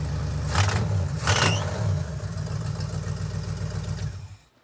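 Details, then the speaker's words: 1970 or 71 Camaro V8 after a new HEI distributor was fitted; loud running with a sharp puffing tick following the firing, rising with each blip, a bad exhaust leak; oil also pouring from the intake manifold rear. "It developed a bad exhaust leak too. That must have happened in the middle of the day yesterday."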